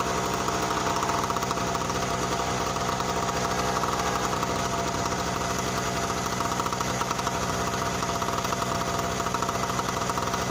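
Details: Tailgater generator, recently broken in, running cold on choke: loud steady roar with uneven knocking, lumpy texture; cold engine struggling and running rough.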